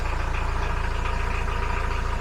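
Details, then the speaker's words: Widebeam boat diesel engine started after the 500-hour oil and filter service and winterizing parts change: even, steady idle chug with a clean regular beat and no belt squeal; warning lights stay off, charging at 13–14 volts, oil pressure good. "Oh, now that sounds good. No squealing."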